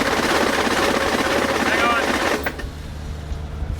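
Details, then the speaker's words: Humvee turbo model cranking with harsh rapid clattering from the starter area, then cutting off; the flex plate has sheared again. "you can't look and see the flex plate is sheared again no yes shut up I'm dead serious"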